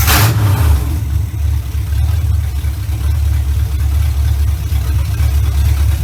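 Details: 1970 Chevy Impala V8, first run in 4 years right after fitting a new carburetor, ignition advance not yet capped: heavy low rumble steady and even for six seconds, no hunting or missing; runs much better than old carburetor, normal idle.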